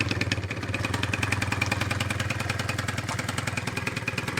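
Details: 2004 Kymco Super 9s 50cc liquid-cooled two-stroke scooter, revived after a year sitting (trouble traced to a wasp nest), while bleeding coolant: crisp, regular putter at steady idle, even pulses, no misses or coughing; running properly.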